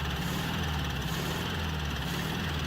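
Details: 1967 VW Beetle engine with valve train problems on cylinder one: rough, loping idle with a knock on cylinder one and a rhythmic chuffing pulse back through the carburetor, from a leaking intake valve; throttle response much better after the valve train was corrected.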